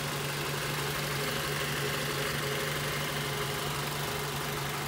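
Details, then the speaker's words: 2007 Mazda 3s Grand Touring, 2.3 L four-cylinder with 5-speed automatic, idling, recorded in the engine compartment; steady even hum, no odd noises, knocks, ticks, misses or vibrations; normal idle. "as you guys can tell nice and smooth running engine there's no odd noises or vibrations"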